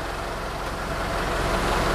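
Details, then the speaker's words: Isuzu Panther LV diesel at standstill idle: steady coarse clatter, even with no knocks or misses, steering wheel and gear lever vibrate, vibration gone when driving; healthy idle. "Ini kondisi mesin menyala, setir bergetar. Ketika tidak berjalan, setirnya bergetar."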